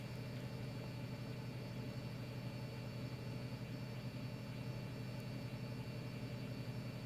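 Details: Tata Altroz naturally aspirated petrol car at idle: quiet, smooth and even idle with a soft steady hum, no knocks or ticks; healthy normal idle.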